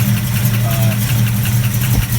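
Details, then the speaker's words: Restored 1969 Plymouth Barracuda V8 with a mild cam: deep, steady rumble with a slight lumpy lope; the idle holds even and the engine sounds healthy. "but it's definitely it's got a nice sound to it here's the rumble guys you want to hear the rumble there's a little bit of just a little bit of cam in this thing"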